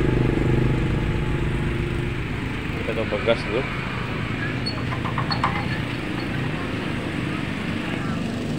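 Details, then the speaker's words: Suzuki Carry Futura pickup at idle, heard at the tailpipe: uneven lumpy puffing with irregular beat, engine shaking and lacking power; one cylinder not firing, coil, spark plug or injector suspected. "nah ini kita coba ini mesinnya ginjal seperti ini yaetar seperti ada satu e pengapian yang tidak berfungsi"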